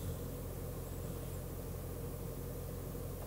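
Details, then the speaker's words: Range Rover L322 4.4 TDV8 air suspension raised through the ID tool's height-adjust mode to off-road height plus a 25 mm extended lift: a quiet, even compressor hum with no rattle or strain. It lifts normally. "that's applied it should in theory start to lift itself up again now there we go she's up she's going"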